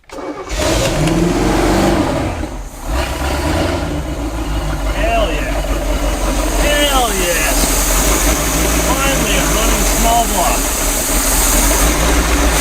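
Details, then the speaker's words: Marine 260 hp engine, outdrive removed, running on old fuel: brief crank, then catches into a strong, steady, even run with no knocks or misses; 40 psi oil pressure, charging; normal start and run. "oh it sounds good let's go get a listen 212 year old fuel it doesn't I love Marine Motors listen to that stuff"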